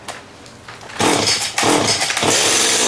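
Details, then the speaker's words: Stihl two-stroke trimmer, unrun for about 2.5 years, primed and choked, cold start: a few sputtering pulls and catches, then a raspy, high two-stroke buzz settles in; it starts and runs fine. "Oh, holy, eh? This hasn't run for 2.5 years, I'd say."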